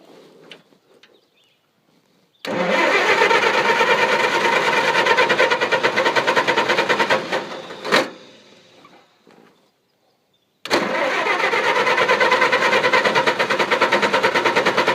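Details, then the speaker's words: Engine that would not start; owner suspected flooding, moisture in the distributor cap and fiddled with wire contacts: two long spells of even cranking about three beats a second, never fires or catches; crank no start. "Shit. What could be wrong with this thing? It ain't gonna get moved. What am I doing wrong?"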